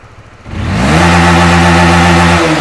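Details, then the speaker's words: Honda Winner V1 (2015–2018) motorcycle after repairing severe throttle hesitation caused by a failed sensor: engine pulls cleanly from idle to full throttle and holds without dipping; normal full-throttle rev. "Vâng xe nổ máy bình bình thường và bây giờ tôi sẽ kéo hết tay ga anh em nhé tôi làm lại một lần nữa rất tốt anh em ạ Đã không còn bị hụt ga nữa"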